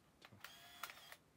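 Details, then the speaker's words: 1983 Mamiya M Time Memory autofocus 35mm film camera rewinding after the roll is shot, with the rewind switch held down: a few clicks, then a thin, steady high motor whir as the film winds back. The sound changes when rewind finishes. Normal motorized rewind. "이게 쭉 내려 주셔야 되겠네 매주 골 좀 기다려야 됩니다"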